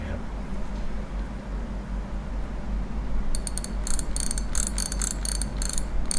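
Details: Daiwa Revros LT 4000/6000H (2019-2020) spinning reel after the drag clicker was modified: low hum, then crisp bright clicks in quick bursts as line pulls. The click is now clearer and louder than before, though still not very loud.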